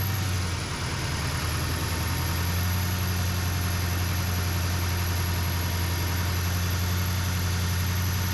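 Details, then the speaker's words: 2015 Chevy 2500HD 6.6L LML Duramax diesel (DPF/EGR removed, turbo noise began a few thousand miles after head gaskets, studs and CP3) idling with a thin constant high whistle from the turbo exhaust housing; worn turbo bearings suspected, turbo being replaced. "Alright, so after checking it out, you can tell that the exhaust housing is having a whistle come through it. So I'm suspecting bearings or something like that inside of it that's starting to go."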